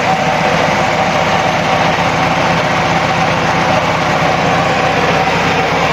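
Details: Carbureted engine at idle: steady slightly uneven lumpy low beat with faint hiss; vacuum leak at carburetor secondary diaphragm, also missing choke opener linkage causing hesitation on acceleration.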